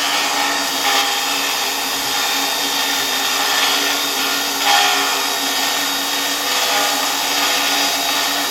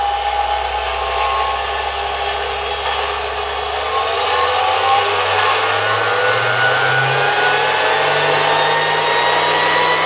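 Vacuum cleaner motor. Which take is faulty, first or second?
first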